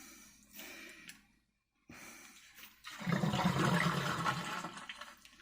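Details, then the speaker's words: Bosch dishwasher after E24 no-drain code, fixed by clearing clogged sink aerator and resetting to 001: steady rushing, gurgling water pump-out, even, no hum or grinding; draining normally. "you hear the draining sound? Okay. So, and it'll drain all the water out and work just fine."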